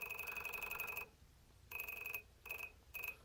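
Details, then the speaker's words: FMS FW 190 RC plane on a Spektrum DX7S: a high, thin electronic tone in stuttering clicking bursts while the motor never spools up and only twitches; bad motor or ESC suspected, not confirmed. "here's the motor when I try to spool it up hear it clicking in"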